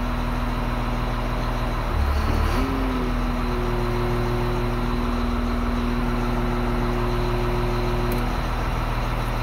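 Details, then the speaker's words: Motor grader diesel with pressure-compensated axial piston hydraulic pump: steady drone that after about two seconds shifts to a firmer loaded note when flow and pressure are given; normal engine load from hydraulic horsepower. "in contrast if i give some flow and pressure and now you hear the engine working"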